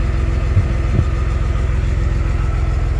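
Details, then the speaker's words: Cummins diesel swapped into a Ford, first startup in its new home: steady, even low diesel clatter at idle, about three and a half beats a second, no misses or knocks; starts right up, tachometer works, check engine light on. "no way it starts right up tachometer works"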